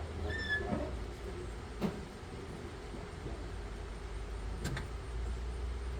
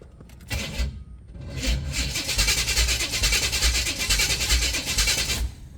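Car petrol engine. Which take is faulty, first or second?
second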